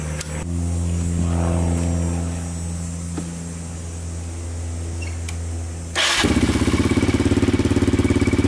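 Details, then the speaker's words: 2002 Yamaha Raptor 660 single after timing chain and bent valve replacement, on stronger portable charger: steady hum, then fires instantly and settles into crisp even thumping idle without misses or rattles; healthy. "yeah i think we're i think we're golden now sounds like it's running pretty good"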